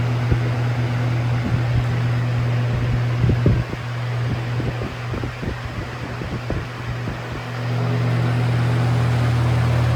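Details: Lasko Air Flex box fan with full-sized Macmillan motor and Weather Shield blades: steady low hum, constant whoosh of air, light rattly vibration; normal running, motor naturally vibrates and hums.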